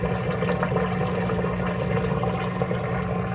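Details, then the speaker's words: LG washer after drain pump motor replacement (PN 4681EA2001T): steady smooth pump hum with water rushing through the hose, no grinding; draining properly. "drain pump is working like a champ I can hear the noise down here smooth and out here you can hear it draining"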